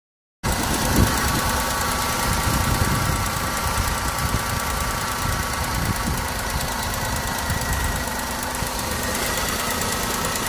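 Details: Maruti WagonR K-series petrol engine idling with an uneven, lumpy beat, one cylinder not firing, with low pickup and the check engine light on; swapping cylinders 1 and 3 showed the ignition system works.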